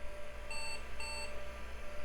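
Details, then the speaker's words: IBM 5160 PC XT after fixing the hard disk controller: two short high beeps about half a second apart; POST error 601 remains, believed to be a floppy controller error, possibly dirty edge connectors; keyboard errors gone. "and we still got a error 601 and I'm pretty sure that's a floppy controller error"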